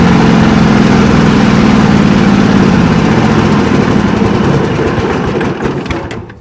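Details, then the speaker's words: 1989 John Deere 285 mower with a Kawasaki FD590V V-twin, under mowing load with the PTO engaged in thick grass. It runs loud and uneven, then loses pace and bogs. The owner suspects the ignition coils are giving weak spark. "So she didn't like moving through that thick stuff. Something's not quite right, and hopefully it'll be what I've troubleshot it as the ignition and the coils."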